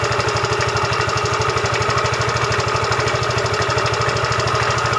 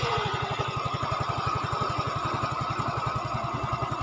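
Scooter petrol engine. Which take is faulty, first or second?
first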